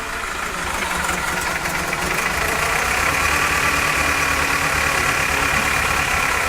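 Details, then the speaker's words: 1998 Toyota Camry with dead miss at idle: uneven loping beat with recurring stumble; codes show misfires on cylinders 2 and 3, random misfire, knock sensor and EGR flow codes; EGR valve checked, not stuck open. "Listen to the way this thing runs. You can hear it. It's got a dead miss."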